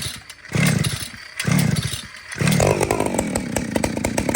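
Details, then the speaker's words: Old chainsaw running round chain: after a few short bursts it surges and holds a high scream with no throttle applied; idle too high, low-speed jet needs adjusting. "He didn't even touch the freaking throttle. Okay, so you know what that is? Low jet."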